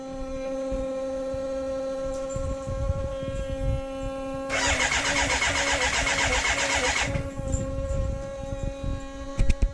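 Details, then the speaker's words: BMW K100 café racer build, fuel injected: steady fuel pump hum, then a couple of seconds of fast starter cranking that never catches. Fuel can be smelled. No spark because the kill-switch 12 V positive supply, pin 10 on the ignition unit, was left unconnected. "And I hadn't hooked in number 10, which is a positive supply. It's called the kill switch."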